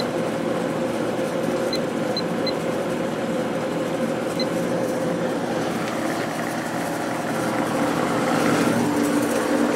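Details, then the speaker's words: Whirlpool Accudry 40-pint dehumidifier, late-1990s or early-2000s, reciprocating compressor, high fan at about 6.5 amps: steady airflow rush over constant hum, no rattles, plenty of airflow through the clean condenser; normal running. "plenty of air flow through the condenser so that's still clean"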